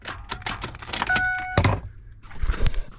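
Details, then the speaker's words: 2004 Ford Expedition, 260,000 miles, battery 12.7 V: single sharp click at key turn, no cranking; starter solenoid suspected, starter replaced. "I am going to, well, I've tested the battery. It's 12.7 volts. It should be enough to turn the car over. So I think it may be the solenoid going bad."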